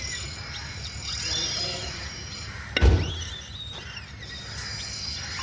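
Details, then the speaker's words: Renault Triber suspension pushed down: thin short squeaks with a dull thump from a bad, sagging shock absorber that won't rebound; loose parts and bad ball joints also found, being tightened and replaced. "এই যে সকাটা আছে না এই সকাটা পুরো খারাপ আছে। ঠিক আছে? এই দেখুন বসে যাচ্ছে।"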